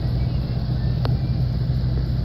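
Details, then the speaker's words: Toyota Tundra after secondary air pump system fix, warning lights off: low steady even idle with no knocks or ticks, normal idle before warm-up and test drive. "So I think we're doing good. We'll let her warm up before I take it out for a test drive."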